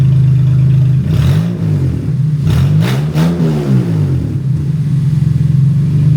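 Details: 2014 Honda Odyssey V6 after installing aftermarket (non-OEM) catalytic converters, exhaust open straight after the cats: loud, raw idle with a deep blare rising and falling through several revs.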